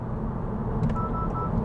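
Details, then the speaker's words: 2022 Honda Civic Touring sedan, 1.5 L turbo, on the road: turn signal on with a car in the left blind spot gives three short, even beeps over road rumble, the normal blind spot warning also heard in the cabin. "and i put my turn signal so you can hear that beep that will also beep inside of the cabin for you"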